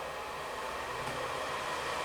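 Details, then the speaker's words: Newly installed bathroom exhaust fan switched on, with ductwork bigger than the duct supplied with the fan: smooth even rush of air, no rattles, ticks or hum swings; much quieter than the old fan, running normally. "Nice and quiet. A lot different than the other one, huh?"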